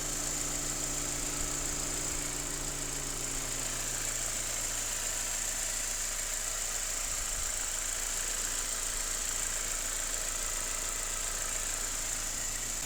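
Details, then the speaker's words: Mercedes W204 with M271 engine, running after sitting over a year and after valve cover gasket replacement, oil burning off: steady, even idle with a smooth hum under some hiss, no knocks or misses, no oil leaking; normal idle. "I mean, it's running fine. It sounds good. I don't see any oil leaking."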